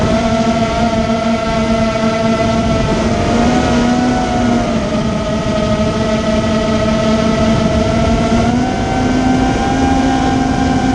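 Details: Immersion Vortex 250 Pro motor test run after attempted fix of bad bearing sounds: steady electric whine with slight pitch wander, no grinding or rattle; bearings sound smooth, motors barely warm.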